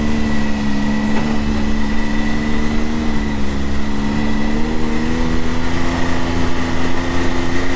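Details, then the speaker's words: 2022 Can-Am Maverick X3 DS Turbo 120, stock primary clutch before P-Drive install: steady engine drone with coarse rattle at about 5100 rpm, from the stock CVT primary clutch. "about 5100 RPM there it is so that's what we're hoping to cut down a little bit of"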